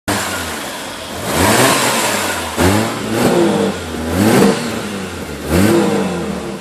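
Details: Toyota 1JZ engine cranks with several starter bursts but never catches or fires on its own; crank, no start.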